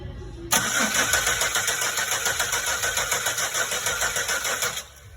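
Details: Pontiac Aztek 3.4 (stated as both 2001 and 2011): steady starter whirring at about 3.5 turns a second that never catches. Crank-no-start with no spark after the ignition module was replaced and the crank sensor changed; the scope points to a bad aftermarket ignition module.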